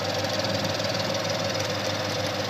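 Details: 2013 Ford Mustang 5.0 V8 at idle: fast crackly ticking like popcorn popping over the steady run; cause unknown.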